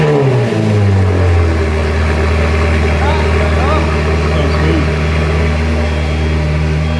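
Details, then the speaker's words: Rebuilt crash-damaged Ferrari F430 engine, after reconnecting vacuum lines and plugging those for removed exhaust valves: after a brief rev it drops to a steady, even burble with no hunting or misses, vacuum fix curing the idling issue; warming up. "that's loads better that sound oh smoke too soon that sounds loads better d That's huming now so the vacuum system seems to have fixed the idling issue"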